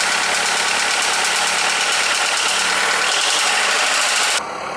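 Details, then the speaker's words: Skoda (probably Fabia) with VW 1.4 16V petrol engine after swapping in used pistons to cure piston slap: smooth, even idle with a light steady buzz and no slap; the knock, once present cold and warm and worse warm, is eliminated. "Wcześniej to klepał zimny, ciepły, bez różnicy. Zimny trochę mniej klepał, po rozgrzaniu bardziej, ale widać, że jakiekolwiek klepanie w tej chwili już jest zlikwidowane w tym silniku."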